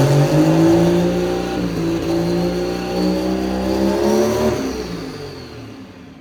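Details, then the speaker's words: Pro Street truck just fitted with a Rossler TH400: revs climb and hold, then fall away and die after the shift; engine stalling when shifting, cause unknown, something loose suspected. "why does it keep dying I don't know it's like actually losing power is this very is it possible that it is possible something's loose"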